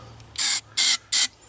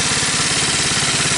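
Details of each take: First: Homemade ATV with swapped 79cc 4-stroke engine, after starting fluid: three quick rope pulls with dry whirring spin, engine turns over but never catches; spark and other basics not yet checked. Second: 79cc four-stroke engine swapped into a 50cc ATV frame, run from an IV-bottle fuel supply: fires on choke and settles into a quick, even putter with no misses or knocks; running normally.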